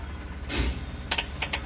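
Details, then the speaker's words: Tata Intra V10/V30 BS6 with the check-engine and OBD lights blinking, in neutral with ignition on and the starter relay bypassed by a jumper wire: six quick, sharp starter clicks with no cranking. A faulty feed line drops the supply voltage. "यह देखिए cut cut कर cut cut कर रहा है। Cut का cut कर रहा है।"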